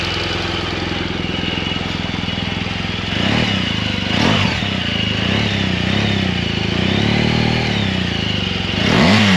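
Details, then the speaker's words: Comparison BMW R1200 boxer at start: a brief tick-tick from the decompression lever changes and fades, then settles into light, even top-end ticking with a few revs. Normal valve-train noise. "so you can tell there's a pretty big difference right when you started you heard the tick tick and it went away that's the decompressor lever changing that"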